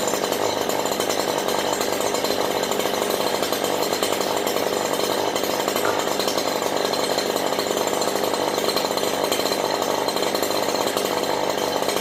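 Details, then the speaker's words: Stihl HL94K hedge trimmer after blade cleaning; high, even two-stroke buzz holding steady with no chatter or rattle from the blades, normal running. "not not one bit of chatter"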